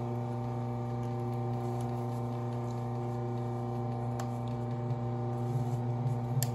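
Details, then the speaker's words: Consew clutch motor, 110–115 V, on a sewing machine: a loud, steady low hum that keeps running constantly, even between stitches. "but if you can hear the machine it hasn't stopped then it keeps on going and it's loud"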